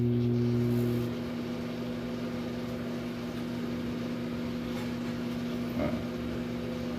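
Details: Philco microwave that came in noisy and not heating, running with water inside: a steady, even low hum with no buzzing, crackling or arcing. It is operating normally.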